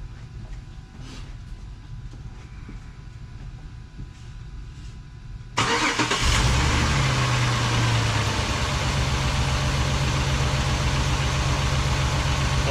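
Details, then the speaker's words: 2007 Jeep Grand Cherokee 3.7L V6 with code P0202, an open injector circuit on cylinder 2. After starting it settles into a lumpy idle with a regular stumble and misfires; it misfires when hot. "sure now it's misfiring hahaha see I have nothing on a scope I have nothing on there fuel injector"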